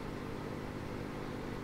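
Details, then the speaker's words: Swiss Pirate 403 AM valve radio fitted with an FM converter module on the 6.3 V heater supply: steady low hum with even tones, like bad smoothing capacitors; ripple on the supply. "we have almost what sounds like you know bad smoothing caps in the power supply so that six point three volts"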